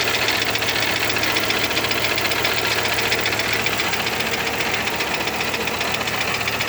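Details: Volvo 850R petrol engine idling with a steady, sharp knock repeating about four times a second.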